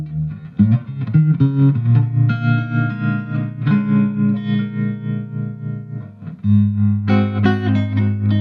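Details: 1963 Fender Princeton Brownface 6G2 tube amp after hum repair and full restoration, played through an old 10-inch Utah speaker replacing the original Oxford: clean, hum-free guitar tone, even sustain, no buzz or crackle; normal operation.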